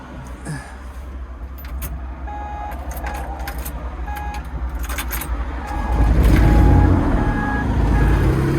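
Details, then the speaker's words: Old 140 digger diesel running; blocking the exhaust outlet with a rag makes a puffing, blowing note louder, showing an exhaust leak upstream at a hard-to-reach joint, to be fixed with a new gasket and 90° elbow. "with it running I've just been bunging up the exhaust there you can hear it blowing away back in there"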